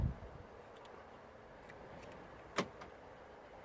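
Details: 2009 VW Golf, after repair of an interior lock button that would lock but not unlock: sharp lock clunks land cleanly each cycle with no hesitation or buzzing. Central locking works normally.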